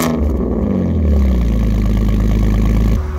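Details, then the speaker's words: Alfa Romeo 147 GTA after engine work completed and thermostat coolant leak resealed: strong, steady engine note with crisp even pulse settling cleanly after a light rev, running really good. Normal running. "as you can hear, the engine is now all done and running really good."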